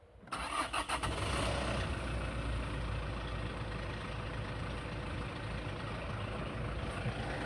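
Rattling clatter right at startup that fades to a quieter, slightly uneven diesel idle within about a second; the cause is not pinned down. Cause suspected, not confirmed.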